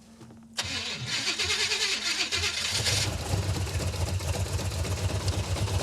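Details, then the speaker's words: 1970 or 1971 Super Camaro, restarted after header gasket, manifold, carburetor and timing work: it cranks, catches, then idles lumpy and stumbling. It runs awful and glugs fuel; over-rich because the rear carburetor float bowl is set too high. "Wow. This thing runs awful. It runs even worse than when it wasn't running at all. It's because it's glugging fuel is why. Rear float bowl set too high."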